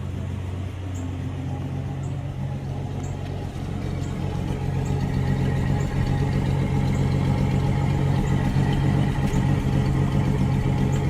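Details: 1967 Mustang heard at the exhaust, two years after first start following 22 years sitting, rewired: steady, even low rumble, no misses, ticks or knocks over eleven seconds; healthy idle.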